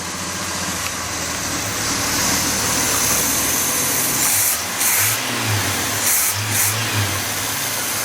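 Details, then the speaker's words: Budget turbo Chevrolet 250 six-cylinder, running again for about seven minutes, warming up: steady even idle, no knocks or misses, some hiss and clatter; normal idle. "Sounds pretty happy sitting here. I'm gonna let it warm up a bit."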